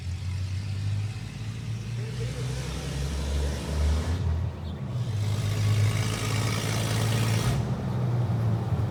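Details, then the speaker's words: 1982 Toyota FJ45 with rebuilt 1977 2F engine (new rings, bearings, shaved head, new carb, headers) and H55F 5-speed, first test drive under load; deep steady drone pulls cleanly through a gear change with no knocks, whine or grinding; engine and gearbox healthy. "I think at one point so you know seem to go through the gears just fine"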